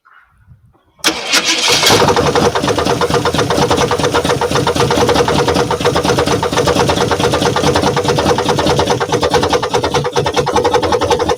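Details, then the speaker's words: 1977 Jeep Cherokee engine, parked 20+ years, on first start fires and settles into a fast, busy rattle over the idle; upper-end rocker arm chatter as oil reaches the top end. "see when I first started it up there was a lot of upper end chatter a lot of rocker on there was a lot of rocker arm noise and that's all I could hear was the upper end rattling as it got oil"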